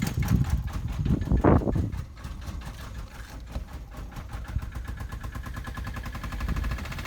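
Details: 2005 Vauxhall Corsa C 1.2 petrol SXi Twinport, misfiring despite new coil pack and spark plugs, codes P0300, P0303, P0304: uneven idle with irregular pops and stumbles. Cause unknown to owner. Engine misfire.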